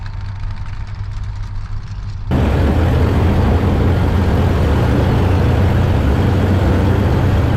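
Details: Tank under repair for AusArmourfest, on a test drive after repair work under its covers: low, steady engine drone holds even with no misses or stumbles once it picks up; runs smoothly.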